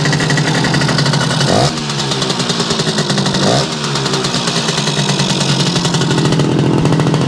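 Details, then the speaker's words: Yamaha YL2C 100 Trailmaster two-stroke, first start after reassembly and float readjustment: a buzzy, steady fast idle on choke with two short revs and dips, still a bit rough, cold and running on leftover premix. "A lot better than wide open, huh? I'm not seeing that spark coming from here yet. Probably will do it as it warms up."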